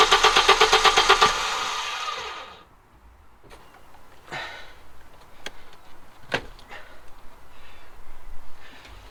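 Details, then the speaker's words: Audi 2.2 Bosch K-Jetronic with new old-stock Bosch injectors, mixture screw turned one turn leaner: starter spins evenly about two seconds, never fires; owner thinks sensor plate needs more angle, almost fully shut; cold start valve reconnection later gets it running. "it's gonna mean it's going to need more angle and sensor plate because that's almost fully shut now"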